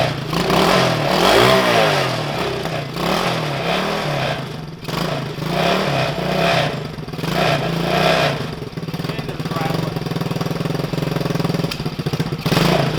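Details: Coleman CT200U mini bike with a swapped 110cc ATV engine of about 3-4 hours use, after long storage, on a rigged battery: putters unevenly and stumbles, then steadies toward an idle. Rough running from leftover oil on the piston; valves may need adjusting.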